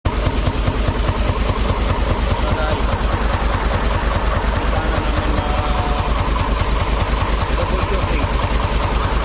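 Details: Even idle with a light, regular tick on top, roughly two or three a second; engine ticking of unknown cause.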